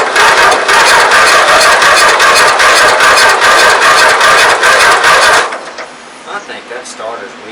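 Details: 1994 MTD Vari Drive 5-speed yard tractor, flathead 11.5hp Briggs & Stratton, being revived, spark plug swapped, compression untested: sluggish, labored cranking about two and a half turns a second, stopping without firing; starter seems weak, cause unconfirmed.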